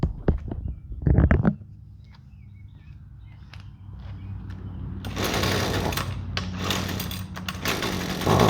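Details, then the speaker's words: Husqvarna two-stroke trimmer with a generic tune-up-kit spark plug instead of the recommended QCJ8Y: after a few pulls it runs ragged, surging and dropping out, completely unusable; rough running from wrong spark plug. "ah as you can see that spark plug ran absolutely terrible completely unusable"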